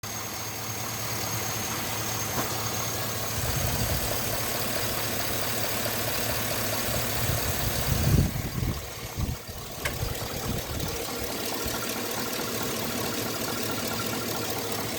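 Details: 2006 Chevy petrol engine idling with a steady, rapid hollow knocking, typical of piston slap; cause suspected, not confirmed.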